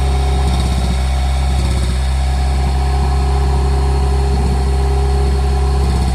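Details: Custom Honda Civic exo build engine running after it just needed gas (bad distributor earlier suspected): steady, even idle with a smooth low hum, no knocks or misses.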